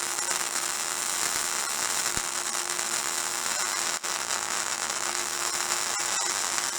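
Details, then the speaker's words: MIG welding dirty metal while building a bike lift platform from used pallets: a steady harsh hiss with irregular crackles and pops over the arc, as the contaminated weld surface spits. "A lot of dirt in there, you can hear it."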